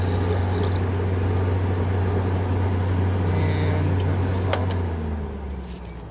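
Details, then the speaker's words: 2014 Frigidaire 5000 BTU window air conditioner with Welling fan motor, unused about five years: low steady fan hum with a light brushing tick about four per second while spinning down, caused by a leaf rubbing the fan blade. "That's what's making that noise, because it's brushing right up against the fan."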